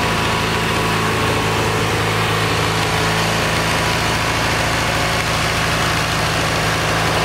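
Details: Kohler Magnum 20 single-cylinder engine, about 40 years old, at operating temperature after carburetor rebuild and mixture adjustment. Steady, even fast idle with regular thump, no misses. Owner says that's about as good as it will tune and suspects it needs a valve job.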